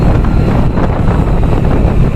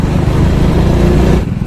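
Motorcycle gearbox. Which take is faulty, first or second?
second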